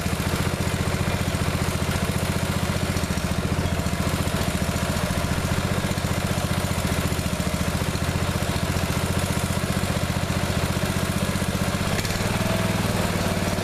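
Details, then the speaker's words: Neglected riding mower revived, after fitting the correct fuel line and clamps and putting the shutoff and filter back on, fresh gas, jump pack on weak battery: even, steady low thump at about four firings a second, no misses or knocks; runs perfectly now. "all right so seems to run perfectly now that's good it's real good for all that work had to do to it"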